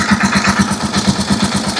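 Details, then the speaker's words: Rusi Chariot 175 trike single-cylinder engine after temporarily refitting a brittle, leaking rubber hose that caused hissing and overheating: even idle thumping about six pulses a second, no hiss; normal idle after fix. "Ayan, wala na mga ka-best friend. So matining na yung under niya, wala nang ingay."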